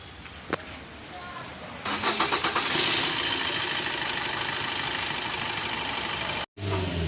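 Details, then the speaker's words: Maruti Baleno with P0230 no-start after replacing blown 10 A FI fuse and refitting fuel pump relay: short bursts of cranking, then engine catches and settles to a steady, even idle; fuel pump wasn't switching on; starts normally now. "गाड़ी तो start हो गई है, और इसमें बहुत सारे fault आ गई थी।"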